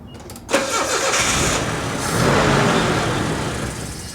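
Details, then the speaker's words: 1985 Nissan 4x4 truck that sat for years, first start on brake cleaner: starter whirs, engine catches and runs rough a few seconds then dies; owner suspects the fuel pump gets no power, is a dud, or a fuse. "I wonder if the that fuel pump ain't getting power if it's just a dud or what or if the fuse maybe."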